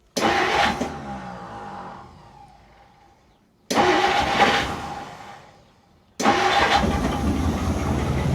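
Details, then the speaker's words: 1959 Plymouth Fury, sitting 38 years, run on about 8 seconds of poured fuel without throttle; three short bursts that catch cleanly then fade as fuel runs out, no valve train ticking, smoking heavily; it runs. "Definitely definitely smells like it's been sleeping for a while. But it does in fact run, boys. I I'm stoked."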